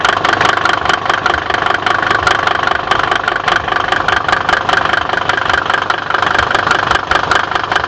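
Sharp, even knocks ride over the diesel idle at about two and a half per second, pointing to a knock of unknown cause.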